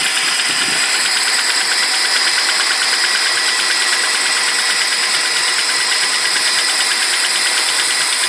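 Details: BMW 745i E65 after cold start at 2°C outside: fast, fairly even clatter about three ticks a second at cold idle, disappears after 1 min 20 s; owner suspects an old chain tensioner.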